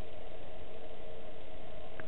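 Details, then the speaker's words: Newly fitted Chinese diesel heater on a boat, fan just switched into super boost with hot air still coming out; constant airy rush and steady mid-pitched hum, no rubbing or rattle, fan running normally at full speed. "Now the fan's just gone into super boost. And it's still hot air coming out of there."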